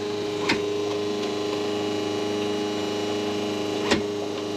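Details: Schenker Zen100 solar-powered watermaker on its first test run: a steady, even hum at constant pitch with a couple of light clicks. It runs smoothly and produced water measuring 224 ppm dissolved solids.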